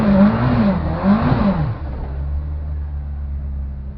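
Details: Ford Focus RS strip car on its first run, assessed for a misfire (later fixed): engine revs hard with a ragged, stuttering note that breaks up under load then drops back, misfiring under acceleration.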